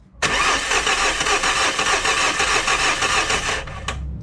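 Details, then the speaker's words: Diesel being tested after difficult glow plug removal, glow relay checked good with test lamp: starter spins about three beats a second with lumpy rhythm, never catches; cranks but won't start, cause unconfirmed. "Bon, mais c'est bizarre qu'il tourne comme ça, là, bizarrement."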